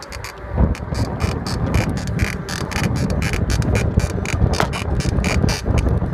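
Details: Cannondale Rush 29 bike being ridden: quick, regular squeak repeating several times a second over heavy wind rumble; rhythmic squeak while riding, cause unknown.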